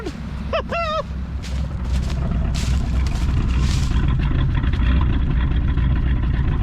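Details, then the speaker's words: 1965 Mercury Montclair V8, first run after 16 years sitting, fuel squirted in: deep, low rumble at fairly steady idle, no knocks; slight skip, owner thinks it's about to run out of gas. "good lord of mighty listen at that car she got a little bit of a skip probably i mean she's about to run out of gas"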